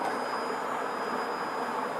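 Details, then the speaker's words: CNC gantry (weed-removal robot project) in autonomous demo mode: Z axis rising, Y moving across, X moving right, steady even whirring with faint high whistle, no knocks or skips; normal axis motion. "Right, all axes are moving. So we've got the Z axis is going up, the Y axis is going across, and the X axis is going to my right."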